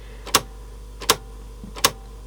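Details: Aiwa CSD-EX10 boombox with Tanashin TN-21Z cassette mechanism: sharp single clicks about every three-quarters of a second over a quiet hum, the autostop lever catching on the cam wheel; cassette autostop clicking.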